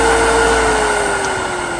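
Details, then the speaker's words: Black & Decker 1 HP variable-speed above-ground pool pump on its medium setting at 2600 RPM (low 1600, high 3450), freshly installed: steady, even motor hum with a constant mid-pitched whine, no knocks or rattles; quiet pump running normally. "And then on the medium setting, it jumps up to 2600 RPMs. And on high, it jumps up to 3450."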